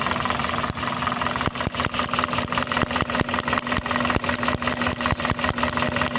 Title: How to fix engine misfiring and vibration #toyota engine #misfiring and vibration